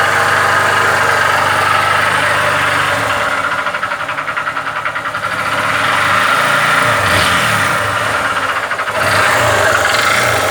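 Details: Honda Titan 150 motorcycle idling: hard, regular knock from low in the engine keeping time with revs. Bystander first suspects a pushrod, then calls it the connecting rod; caption says rod or piston. Connecting rod knock.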